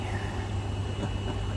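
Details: Maytag Bravos washer after replacing the gearcase and stripped basket hub (bad bearing, wouldn't spin to high speed), codes cleared: low, even agitation rumble with no grinding, knocking or squeal; running normally.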